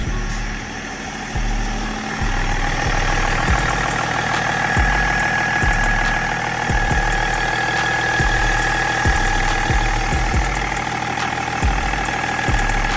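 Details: 2005 Range Rover L322 TD6 diesel, 190k miles, after priming the fuel system two or three cycles: settled diesel idle with an even, rhythmic clatter that holds steady; running normally again.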